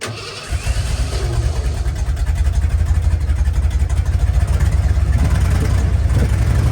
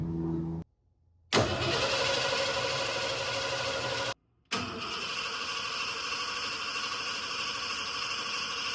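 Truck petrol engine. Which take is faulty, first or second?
second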